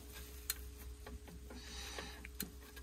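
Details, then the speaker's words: Forestry machine 140-5 diesel idling in the woods: uneven light knocks and ticks over the hum, with visible movement at the failed belt tensioner bearing; tensioner replaced. "I'm in the woods I've got this far in tunnel with a failed tensioner bearing have a look down here see"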